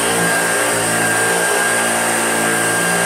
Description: I just love using these. The squeak in the first one is a squeaky wheel, then after this video my favourite of the 2 broke its belt, which I suspect may have been my fault, but unsure.